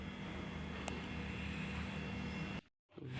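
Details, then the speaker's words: Sharp single-door fridge with its light on but not cooling, previously serviced, just plugged in: the compressor gives a faint, steady low hum, weaker than its usual sound. This fits a suspected blocked refrigerant line, still to be traced. "Nah, untuk awal pengecekan di sini ee kulkasnya saya colokkan dan kompresor ini seperti ee lirih, Teman-teman, ya. Enggak seperti biasa bunyinya itu enggak nyaring."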